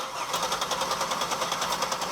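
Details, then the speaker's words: Buick LeSabre 3800 V6 that sat a long time and won't start, gauge on fuel rail Schrader valve; steady cranking about eight beats a second, never fires; no fuel pressure at rail, pump or voltage cause not yet known. "awesome yeah we have nothing we have no fuel pressure up there now we don't know if it's voltage we don't know what's going on with the pump"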